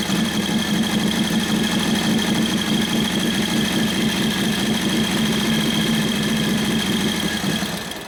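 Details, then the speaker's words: 1941 Harley WLD 45 56ci stroker flathead, fresh build, kick-started: an even, fast-running beat holds several seconds, then fades and dies because the idle (low-speed) mixture screw was leaned too far. "Started running good there for a minute. Until I over-leaned it out."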